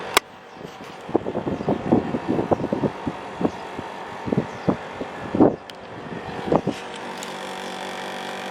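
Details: 1990s Japan-made National (Matsushita) CU-915KH 1.0-ton mini-split outdoor unit on roof tile, daytime: running hum with irregular rattling knocks like loose panels buzzing; vibrating, noisy since September 2012 after being quiet, cause unknown.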